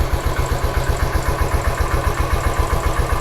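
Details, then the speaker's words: Royal Enfield Standard 500 fuel-injected, bank angle sensor fault confirmed, sensor temporarily tapped into place, now running correctly; even single-cylinder thump about four beats a second, steady without cutting out: normal idle. "ഇപ്പൊ correct ആയിട്ട് നിൽക്കുന്നുണ്ട് ഇപ്പൊ correct ആയിട്ട് നിൽക്കുന്നുണ്ട്"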